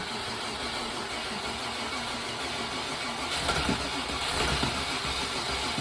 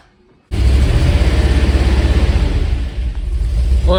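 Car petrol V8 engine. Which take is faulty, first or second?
second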